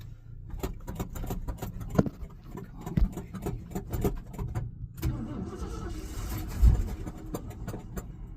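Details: Ford F350 dump truck after fuel pump replacement, fuel being poured in by hand: the starter churns with uneven chugging pulses, but the engine never catches and runs; it cranks without starting.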